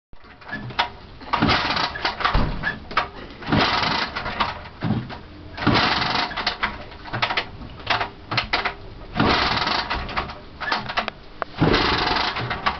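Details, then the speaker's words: Lambretta scooter owned over 20 years: repeated kick-start strokes turn the engine over in rough bursts but it never catches; no start because the ignition was switched off. "Not switched on, that's why."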